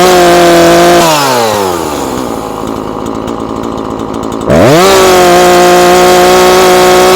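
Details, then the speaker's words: Husqvarna 340 chainsaw after carburetor diaphragm replacement, high-speed screw adjusted: strong steady full-throttle howl that dips and snaps back with slight burble, not screaming; high-speed mixture correct. "Sanoisin, että se on siinä."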